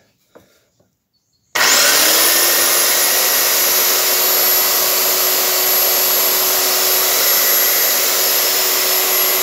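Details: Makita belt sander reassembled with all new bearings and gears, final test run with belt on: spins up in a second to an even steady whir with clean high whine; smooth, no rattle.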